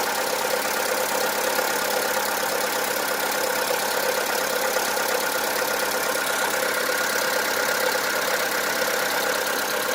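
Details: VW Polo 1.4 16V BUD engine: steady idle with a light, uneven knock about twice a second that has worsened over time; piston slap from excess skirt clearance, not cured by lifter cleaner additive, new lifters or XADO additive.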